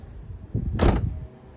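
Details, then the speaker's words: Nissan Pulsar, door shut: solid slam followed by a short loose low rattle settling inside the door; window regulator loose, needs tightening or replacing. "You can hear that rattle after it. Yeah. So, that needs uh either tightening up or replacing, but I've just not got around to doing it yet."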